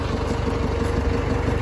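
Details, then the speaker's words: John Deere 555 bulldozer, 20+ years old and long sitting, just started: deep, even diesel idle with no misses or knocks; healthy. "this guys this is awesome we got it started it's sick"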